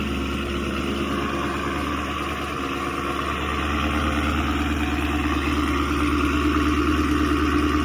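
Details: 2016 Chevy Camaro SS 6.2L V8, almost 50k miles, remote-started after factory GM thermostat replacement: deep, even V8 burble at idle with a steady beat, no misses or knocks; running smoothly and healthy, cooling fan turns off at shutdown showing the thermostat works.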